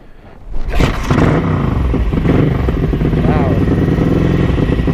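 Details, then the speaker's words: Ducati 900SS bevel twin with 55 idle jets, 135 mains and stock K5 needles, open special exhaust headers, during AFR jetting tests. On choke from cold, the engine catches after a second and settles into a loud, steady, fast choke idle, running evenly; normal cold start. "All right, let's see what happens. Choke. Oh, here we go, nearly there."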